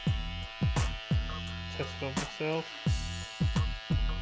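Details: Andis Cordless T-Outliner trimmer after zero-gapping, with the blade-drive arm and springs realigned: switched on and off several times, each run spins up to an even, steady buzz with no rattle or loud noise. Running properly.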